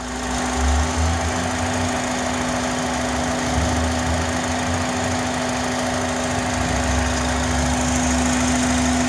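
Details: 2005 Honda Accord coupe, warm petrol engine at idle: a steady musical whistle-like hum holding one low note from the intake manifold and throttle body area, louder from about 30 mph; it seems to stop when a vacuum hose is removed; owner suspects the intake manifold.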